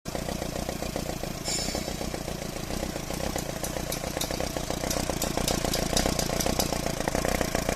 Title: 😱How do you# fix# a #misfiring #engine? 👨🏻‍🔧💀